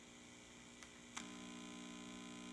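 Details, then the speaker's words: Heathkit IT-12 signal tracer with a two-prong plug, its separate earth connection disconnected for testing. A couple of clicks, then a steady low buzzing hum from the floating, unearthed chassis. "hear the hum all right because now this floating ground"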